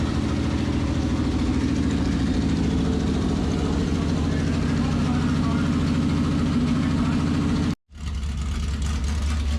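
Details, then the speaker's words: 1973 Dodge Dart, 340 V8 with 727 transmission, sat for years, revived the same day: steady, even idle rumble with a consistent beat and no knocks or misses, idling smoothly. "a working transmission and an engine that runs and it runs really really good"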